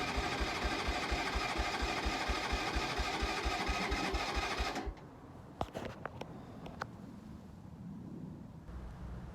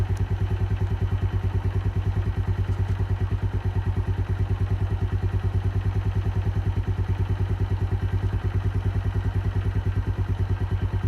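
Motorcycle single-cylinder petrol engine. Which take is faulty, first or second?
first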